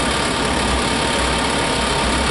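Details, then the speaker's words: Furnace blower in a 5th wheel travel trailer, started by a switch, motor dusty: a constant, even rush of air with no rubbing, rattle or wobble. It blows warm, though less warm at the farther vent. Normal operation. "Definitely blowing out nice and warm. Not quite as warm here yet, but this is a little farther away."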